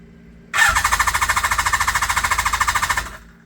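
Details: Kawasaki GPz550 first start after two seasons sitting, carbs not rejetted for pod filters, full choke: steady starter chatter about three and a half turns per second for two and a half seconds, no firing; cranks but won't start.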